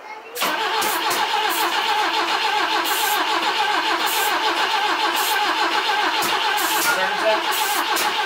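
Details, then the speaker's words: BMW E21 under restoration, starting fluid sprayed into the intake while cranking, after moving the distributor and replacing the spark plugs: starter churns steadily at about 3.5 turns a second but the engine never fires; crank, no start. "anyways so no joy on getting the motor to fire up we tried moving the distributor we replaced spark plugs we sprayed starting fluid in it and then we cranked it over about five thousand times so yeah no good"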